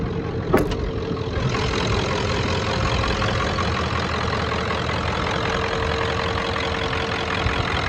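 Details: 1994.5 Ford Power Stroke diesel ranch truck, 384,489 miles, standard transmission, just back running after shop work; under-hood idle is a steady low rumble with a smooth even beat, no knocks or misfires; healthy normal idle.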